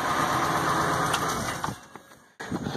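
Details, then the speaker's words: Ford F550 6.8L V10 idling smooth with no miss after fixing a fouled spark plug; oiling well, run briefly with no coolant and no belt fitted; steady, even healthy idle. "I don't want to run it too god awful long, but she sounds good."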